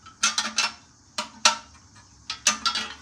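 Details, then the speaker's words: Small-block Camaro muffler, shaken by hand: bursts of bright metallic clatter as a baffle that cracked off its weld tumbles loose inside, which changes the exhaust sound with every engine pulse. "so if you can hear that rattling around in there one of the baffles has completely cracked off the Weld and it's kind of just"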